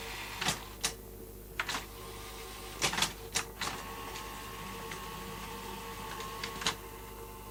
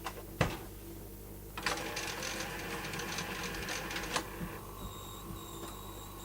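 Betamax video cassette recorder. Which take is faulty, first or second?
second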